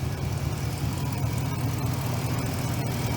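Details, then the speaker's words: Lexus LX470 with a 4.7L 2UZ-FE V8 at about 323,000–327,000 miles. First start after timing belt job, new coolant (cap off to burp air) and oil change: deep, even idle with no knocks, ticks or misses; healthy. "okay it's alive no way sounds beastly too"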